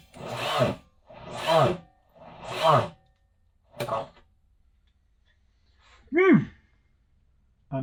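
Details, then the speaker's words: Kubota V2203 diesel on a stand (Jeep CJ-5 swap candidate), starter jumped at its terminal: short labored bursts under a second, turning sluggishly without catching; suspected poorly charged battery or poor jumper cables. "Terminal on the starter, not that wire. Well, that doesn't sound good."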